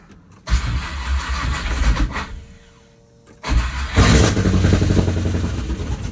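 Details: C5 Corvette after engine pulled, block welded where starter broke it, reinstalled with oil change: starter cranks briefly, engine catches, revs, dips, settles to steady even idle; healthy after repair.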